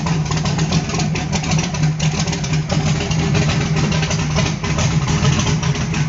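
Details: Small-block V8 on pump E85 with CSU blow-through carb, no choke, cold start, engine temperature guessed at about 100°F: loud lumpy idle with uneven pulsing exhaust and rattly top end; rough cold idle, expected to smooth near 140°F.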